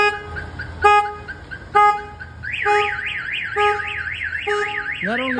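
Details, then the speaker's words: 2004 GMC 2500 HD with newly installed Viper alarm, armed, door opened: rising and falling warble siren with sharp chirps, two sirens going off together; alarm triggered by the door opening. "so now it's even louder you can hear both of them going off"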